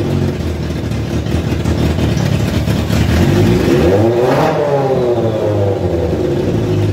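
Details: Kawasaki ZZR 1100 engine swapped into a Fiat Panda 750 Fire, during engine tests: settles into a smooth idle, then revs cleanly up and back down with pitch rising and falling evenly. Sounds healthy.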